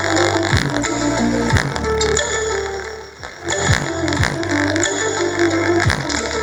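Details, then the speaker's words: Home theater speaker with broken voice coil lead, before soldering an external wire to fix it: music harsh, fuzzy, rattling and breaking up on every beat; distortion from broken lead. "Guys, आप देख सकते हैं अभी भी distortion बहुत ज़्यादा आ रही है।"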